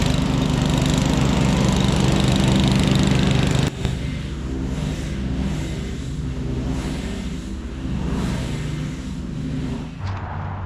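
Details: 1997 Craftsman II 30" rear-engine riding mower, 13.5 hp Tecumseh engine, mowing after repairs: smooth, even drone easing slightly in pitch under load, no knocks or shake; quiet, no vibration. Normal running.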